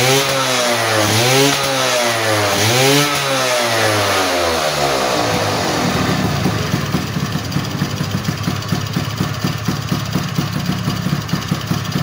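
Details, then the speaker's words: Two-stroke motorcycle that kept fouling and wetting its plugs, after the reed valve membrane was reseated and glued: sharp rising and falling revs clean up quickly, then it settles into an even, crisp idle with no misfire or bogging. Normal idle and revving. "oke ya teman-teman eh motor udah enak kembali ya jadi tenaganya juga enak nih jadi di Udah Ee udah kedengaran ya jadi dari suaranya juga enak ya lepas gitu kan pas dia enak"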